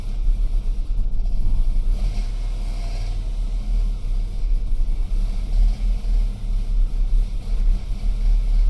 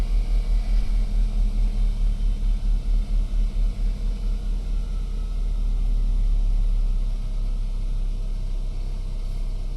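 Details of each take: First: BMW E92 320i N46N, cold start, before fix: uneven idle rumbling, loudness surging and dipping every second or so instead of settling; no fault codes, no vacuum leak; rough idle attributed to a faulty MAP sensor. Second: BMW E92 320i N46N petrol engine treated for a rough cold-start idle with no fault codes and no vacuum leak: low, deep idle with a slight early pulse that settles into a steady, even run; smooth cold idle.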